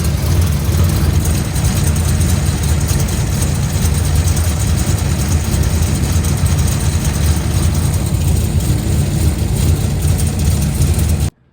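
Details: Cammed 500+ hp 2012 Camaro SS V8, TR6060 manual, running after clutch change, oil change and rear main seal reseal, leak check: deep, lumpy idle, steady and even with no knocks or squeals before it cuts off; sounds healthy.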